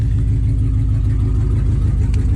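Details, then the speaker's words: 2003 Dodge Ram 1500, 4.7 Magnum V8 with 255,000 km, at idle after start-up: loud, raw rumble with rapid uneven low popping, no muffling; exhaust shot, pipes rusted through and leaking badly. "And the exhaust is shot. Look at those rusted out pipes."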